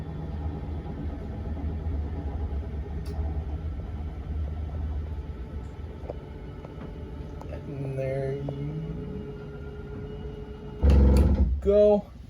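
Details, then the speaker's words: 2023 Wildwood 32BHDSX travel trailer, rear bunk room slide-out: low motor drone extending the room, then a short whine and a few clicks at full extension. This is normal slide-out operation. "It's going to start making its way out. Once fully extended, again, you're going to hear the whines and the clicks of the"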